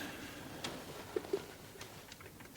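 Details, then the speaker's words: Restored 1940s wedding-gift clock, with the movement and gong refitted in its case. Soft, light ticks in a quiet room with no scraping or stumbling; the movement runs normally. "The tick of a clock is like the heartbeat of the clock and and the strike of the clock is is like the character of the clock."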